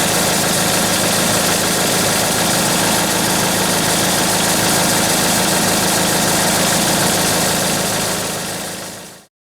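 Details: Engine after servicing for a squealing noise that occurred at idle; smooth, steady idle with no squeal or chirp, then a clean shutoff, normal idle after repair.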